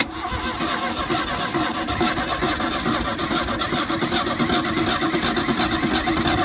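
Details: 1977 Ford Mustang II that sat for 25 years, fuelled with race fuel: steady, even cranking for several seconds that never fires or catches. Crank, no start.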